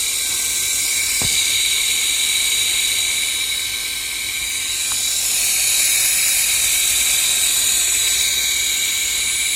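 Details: Engine radiator cooling fan motor after rust and dirt were cleaned out because it had started whistling, run on a battery before refitting the impeller: steady high-pitched hum, smooth, no whistle or scraping; normal running.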